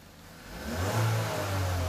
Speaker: they see how that raced up but am I hitting 90 percent [Music] no and the reason why I'm not hitting 90 percent is I am racing it up and you have a rev limiter